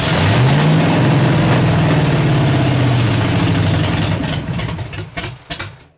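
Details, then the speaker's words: 383 stroker V8 on a break-in run at about 2000–2200 rpm, headers warm and colouring, no mufflers, 1.6:1 roller rockers: runs fast with a ragged popping edge, then drops off; owner suspects valves adjusted too tight holding open, spitting and sputtering. "I know there's some valves in there that's spitting and sputtering, but wow, it's hard to believe that just that having them valves too tight like that would just keep them open."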